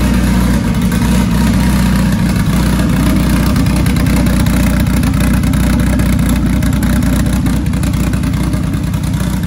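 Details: Dodge Caliber SRT4 four-cylinder just after Precision 6266 turbo install with coated manifold and new gasket, idling a few minutes to warm up: deep steady idle, even pulse, no hiss, ticking or leak puff; no apparent exhaust leaks, runs fine, new tune needed.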